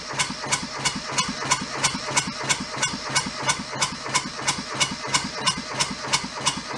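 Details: Junked small Kubota diesel from a scrapyard, cranked with throttle fully open: even cranking chuff about three times a second, never catching or picking up speed; they suspect air sucked into the fuel hose, possibly a missing pre-pump, unconfirmed.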